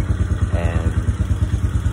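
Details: Chinese Hawk motorcycle idling right after an oil change, having run with no oil and been hard to electric-start: steady, even low thump with no knocks or misses; engine sounds healthy.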